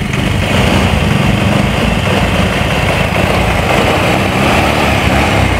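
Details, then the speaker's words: Old Honda Vario scooter at full throttle on test ride: stutters and stumbles as if about to die; charging checked fine, ignition suspected, cause unconfirmed. "Nah ini kayak mau mati dia teman-teman ya di saat saya full gas itu sudah mulai e sendat-sendat kayak mau mati ya"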